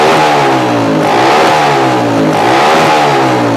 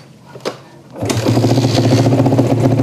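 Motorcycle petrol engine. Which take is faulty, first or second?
second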